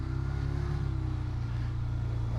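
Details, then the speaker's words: Old Yamaha XJ600 four-cylinder motorcycle after refuelling, holding a fast, steady idle well above normal ("revving to the moon") because the idle speed is set wrong. "all right well let's just you probably hear it revving to the moon back and that's because i don't have the idol set right"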